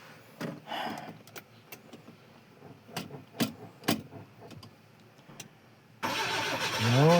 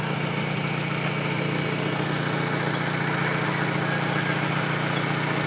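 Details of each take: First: Engine cranks about two seconds with steady starter noise but never catches or fires; battery read only four volts and the car had sat unused through rain; jump via parallel cable connection, throttle found dried of gas; starter also suspected. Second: Car jump-started via parallel cables after its battery fell to 4 volts, now reading 14 volts: steady, even idle at constant pitch with regular beat, no misses or knocks; engine healthy.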